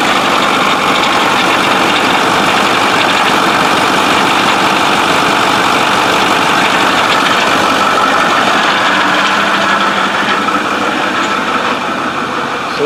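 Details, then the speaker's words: 6.4 diesel truck losing oil and smoking from the tailpipe despite filters, with turbos suspected. Steady, loud running with an uneven, rough undertone and a faint whine, likened to a cavitating power steering pump. It sounds unhealthy; the cause is not confirmed. "we're not complaining about the engine which does not sound healthy"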